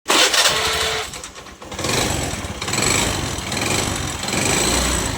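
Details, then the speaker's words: Honda Activa scooter, engine opened: tappets and timing OK, but bore and piston in bad condition; revving in bursts with rough, rattly mechanical clatter over the exhaust; piston and bore wear. "Activa sound engine खुला देख problem को already खुल देख टैपिड और timing असुविधा नहीं ठीकठाक मतलब head king sorry bore किबा crow देख पिस्टन अवस्था पूरा को पूरा खरा साउंड"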